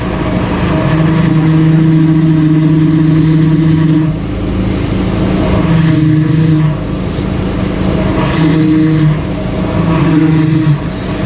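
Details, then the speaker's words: Audi TT Mk1 1.8T Quattro 225 bhp, 6-speed manual, at idle after reassembly with fluid topped up; low groaning hum comes and goes from the power steering pump, air still in the system, needs a test drive going lock to lock to bleed it. "just need to take it for a test drive and get it lock to lock and get all the air out."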